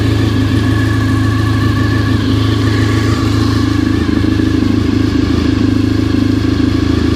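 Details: Honda RC45 RVF750 V4 after spark plug replacement (old plugs very bad; injectors tested fine): even, lumpy idle with steady low beat, no misses or rattles; running smoothly on all cylinders.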